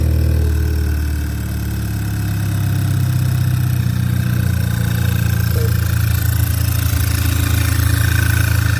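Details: Audi A3 8P 2.0T TFSI after replacing the PCV valve (oil separator) for a weird idle and check engine light: smooth, even low idle with no whistle or hiss; the engine runs cleanly, though the light is still on.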